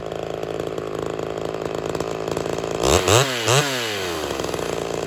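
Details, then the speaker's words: Ported Homelite XL-76 chainsaw after fuel system work and new fuel line and filter, previously starving for fuel: steady buzzing idle then two clean quick blips to high revs dropping back smoothly; runs properly. "well there she is she's actually working I wasn't expecting that"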